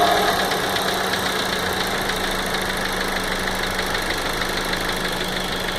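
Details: 2015 VW Golf Variant 1.4 TSI at 3,000 km: light, fast, slightly uneven ticking at idle over a steady hum, like a tapping lifter; cause unknown, owner suspects lubrication is intermittently failing.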